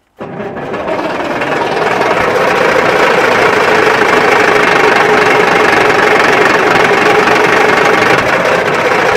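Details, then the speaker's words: Wrecked Peterbilt 359 diesel cranking at full throttle: steady starter churn with a few uneven hits that never catch. The crew suspects it needs starting fluid. "I think if we go get starting fluid, it'll start."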